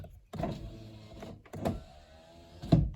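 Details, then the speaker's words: Honda Odyssey, about 21 years old, after repairing the driver-side master window switch PCB (before, only the driver window worked). The rear window gives short, smooth motor whirs at steady pitch with a clean stop, no grinding. Normal power window operation. "The driver's side still works as expected. You can hear the passenger. Back"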